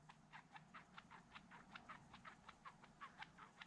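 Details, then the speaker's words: RC car (Team Associated DR10) shock absorber worked by hand at teardown; soft squishy hiss-clicks about four a second with each stroke as it pumps air, bottoming out. Shock has no oil, wet at leak point. "like there's a whole pile of air and then the shock bottomed out see that it doesn't bottom out that one's got a less of a gap"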